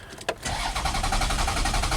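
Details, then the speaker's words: Lexus ES 300 with no ECU communication, check engine light on, and a history of stalling: steady, fast starter cranking with even compression pulses, but the engine never catches; crank-no-start, cause not yet found. "okay definitely crank no sight so right away change in direction"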